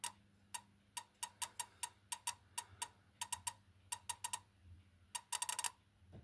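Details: 1978 V8 Capri with Chevy engine that won't start after sitting: MSD ignition box tested with coil off distributor, trigger wire earthed; crisp, evenly strong snaps two or three a second, no engine running, MSD fine, fault suspected in distributor.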